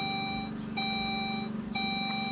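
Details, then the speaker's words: Saab OG 9-3, engine off, after fuel filter replacement: the key is cycled so the relay runs the fuel pump for a few seconds to prime before cranking; a clear high chime pulses about once a second over a faint low hum, the normal key-on warning. "cycle the key a number of times is what that knows the fuel pump relay will activate the fuel pump for a number of seconds and it will time out so you don't want to just crank it"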